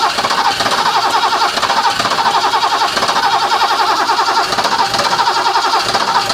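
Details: Barn-find 1980s BMW E12/8 M535i Lightweight (1 of 7, South African market), fuel-injected, untouched 30 years, on a temporary external fuel pump rig: a quick, even cranking chug that never catches. It cranks but won't start, and fuel pressure is unknown.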